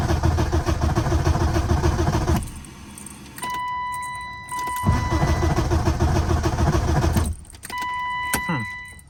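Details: BMW E36 318i four-cylinder, no-start after ECU tampering, owner suspects ECU, battery from another E36: starter churns evenly about 200 times a minute in two tries but the engine never catches; crank no start.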